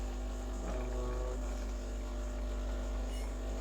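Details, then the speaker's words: Breville Dual Boiler BES920 espresso machine pulling a shot at 9.2 settling to 9 bar: constant low buzzing pump drone, no stalling or rattle; pump working normally at full pressure. "So perfect 9.2 bars of pressure. Now it's settling at 9 bars. It looks like a great shot."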